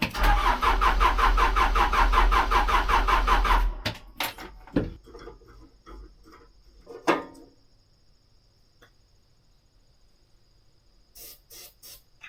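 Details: Case 580 L diesel backhoe that won't start despite repaired battery cables, cranked after priming the fuel line at the bleed screw and before the fuel filter change. Steady starter churn for about four seconds, then cuts out without firing. Crank, no start.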